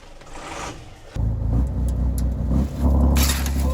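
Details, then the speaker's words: Volvo Penta TAMD 71B marine diesel, stood 10 years in a partially sunk abandoned boat, new batteries and fuel bled only: fires and settles into steady even low rumble, no knocks or misses, 60 psi oil pressure; running normally. ">> And it sounds really right."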